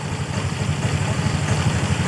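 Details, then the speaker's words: Honda Vario 125 scooter, after repairing the wiring fault that had caused other sensor errors: low steady even idle with no hunting, and the tensioner no longer slaps; normal idle. "kan motor sudah bisa setasioner ya nah Ya udah bisa stansioner dan di bagian Tensioner saat posisi lansam ini tidak ngebanting"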